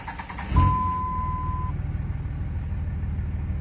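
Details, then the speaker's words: 5.9 Cummins diesel, starting without jumper cables. A few uneven, labored cranking beats in under a second before it catches and idles. It hesitates on the first cranks; the owner now suspects batteries more than the starter. "it just uh it really hesitates for the first few cranks and then uh you know sometimes it's better than other times but that's that makes me think batteries more than starter now"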